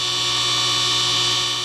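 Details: DIY 10 HP rotary phase converter, push-button started, running unloaded with leg voltages reading high (about 280 and 260): smooth constant hum with thin high whine, no wobble, rattle or surging; idler motor healthy.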